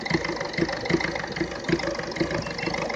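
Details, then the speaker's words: Ford Fiesta 1.4 diesel running rough at tickover: an uneven, lumpy idle with irregular thumps about once a second; an infrared temperature-gun check pointed to a misfiring number one injector. "Here We are you can he the engine R rough anything I'm now trying to find out what the is so I'm going"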